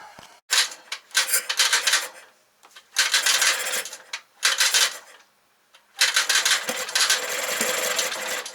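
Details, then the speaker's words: 1968 Kohler 6.5 kW marine genset (6.5A27), under 300 hours, being rehabbed, governor not connected: repeated short bursts of fast cranking that nearly catch while the starter cuts out. Cranks but won't start, badly flooded; plug number one found wet. "i'm guessing it's badly flooded let's take it apart see we can find out"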